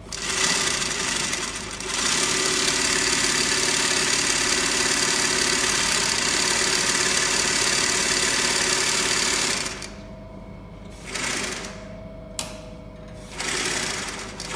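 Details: Rebuilt Adler 69 industrial arm sewing machine running: fast, even stitching clatter about three and a half beats a second, then a clean stop; runs smoothly and healthily.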